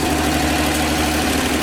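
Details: 1954 Chevy 210 that sat for an unknown time, found with its distributor wired backwards, first running: smooth, even idle over a steady low rumble with no knocks or misses, and oil pressure present. Healthy.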